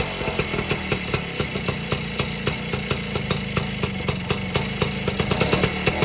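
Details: 1952 BSA D1 Bantam engine in a test rig, first start in over two years after tickling the carburetor; crisp, even two-stroke popping at about five beats a second, steady and unlabored: normal idle.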